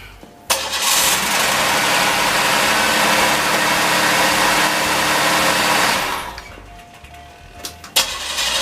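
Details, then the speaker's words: 1986 Oldsmobile Regency (Olds 98) with no spark, after swapping cam and crank sensors: steady fast cranking about five seconds with no firing; cranks but won't start, sensors, computer, ignition module and wiring ruled out. "all right guys it's gonna sound weird but here's the hope and it don't start"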